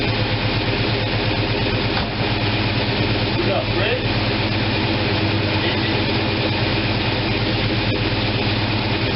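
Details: After opening the manual choke that had been left closed, the freshly fuelled engine idles at 700 rpm with a steady low thrum and soft regular pulse, no knocks or misses.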